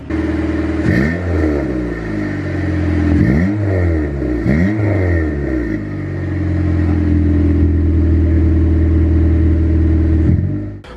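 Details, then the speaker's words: B18C1 turbo Honda CR-V with new custom exhaust, muffler dangling without hangers. Deep exhaust note swells cleanly through three quick blips, then settles to a steady, even idle; idle fairly loud but sounds good. Normal revving. "This does not sound too loud. I think if anything, the idle is a lot louder, but it sounds freaking"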